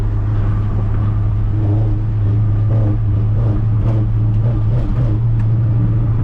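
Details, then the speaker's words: Ford Ranger driving, windows open, after welding in a cherry bomb muffler and rejoining the exhaust: steady, even, fairly subdued low rumble with no rasp, drone or popping; much quieter, normal exhaust note. "this thing is so much quieter now. I mean, you can still hear it cuz I got all the windows open, but it's not bad."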